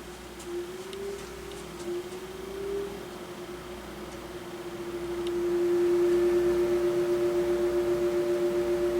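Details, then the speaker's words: Hampton Bay HBF12 12-inch high velocity fan, McMillan motor, started on high speed: wavering mid-pitched electrical hum that swells and holds without spinning up; bearings seized and very stiff. "the bearings is all locked up. Yeah, the bearings are really stiff."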